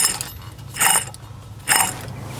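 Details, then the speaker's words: Ford Falcon (believed BA) front wheel bearing, hub turned by hand: rough, gritty grinding bursts from a completely worn bearing, making the car undriveable; bearing replaced. "Today we are working on a Falcon. I believe it's a BA and we're doing the front wheel bearings because they sound like this."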